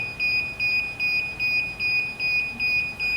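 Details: DJI Phantom 4 remote controller on first power-on, before the aircraft is turned on: quick high beeps about 2.5 per second. These beeps usually mean the controller sticks are not calibrated.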